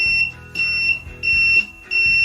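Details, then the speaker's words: PS-1501S bench DC power supply (about 15 W, 1 A) short-circuit test with the leads shorted: four even, high, steady beeps; display drops to 0 then returns to counting. Normal short-test beep. "Beep සද්ද එනවා. ඒ වගේම counting එකට ආපහු වෙනවා."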